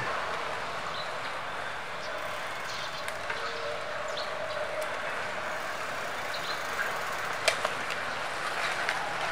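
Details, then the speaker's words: Foxter FT301 bicycle disc brake applied after cleaning oil-contaminated pads and realigning the caliper: no squeal, only faint clicks. Braking power is weaker, likely because the pads were too saturated with oil. "The squeak sound was removed, but the brakes isn't as powerful."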